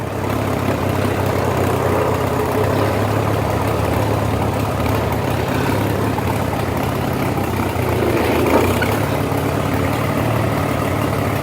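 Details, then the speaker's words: Farmall H tractor warmed to operating temperature after plowing, air cleaner off: a steady, low idle with a lumpy, crackling, uneven beat; runs fine at first, then rough after a few rounds; owner suspects carburetor adjustment. "few rounds through the field and it would start running like crap so I don't know the carburetors out of adjustment or what"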